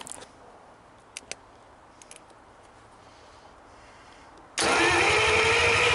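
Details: 1949 Buick straight-8, first start attempt in years after fresh fuel to the carburetor: near silence, then the engine suddenly turns over loud and rough.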